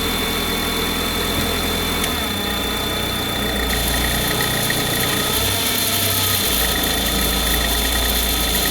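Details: Cold idle with a fast, uneven ticking rattle over the engine note, plus hiss; abnormal noise at cold idle, cause unclear.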